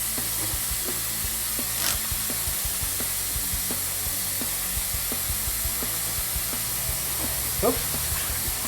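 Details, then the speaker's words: 1992 Mitsubishi Galant VR-4 during a boost leak test with the system pressurized for an idle surge: constant sharp hiss with faint ticks at the throttle body's idle adjustment screw, found with soapy water; the rest of the system isn't leaking. "throw nobody's not leaking at all it's all because of the bit screw here look at that well that's pretty obvious"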